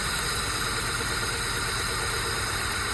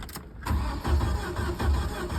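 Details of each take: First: 1994 Jeep YJ Wrangler, sat about 10 years, which tapped hard the day before: even, steady idle with no tapping, smoothing after a few seconds; valvetrain sounds healthy. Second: 1994 Jeep Wrangler YJ, sat about 10 years, old battery fitted: starter spins the engine with even cranking pulses but it never catches, check-engine light doesn't come on; crank-no-start traced to no power reaching the injectors, automatic shutdown relay and fuses suspected.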